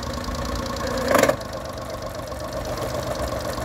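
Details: Honda 30hp 4-stroke outboard after carb cleaning and water pump work, shifted into reverse at idle, not overheating: quiet, smooth idle with one soft clunk dropping into reverse, then settles evenly; normal idle in reverse.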